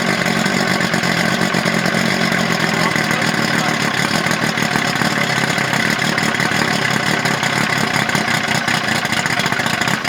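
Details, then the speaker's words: Two-stroke outboard on a 1984 Grady White Overnighter 20, electric fuel pump, no choke: raspy buzz at a rough, uneven idle just after first fire-up; it runs, though a fuel leak is seen; warm water from the pee outlet. "well we know it runs"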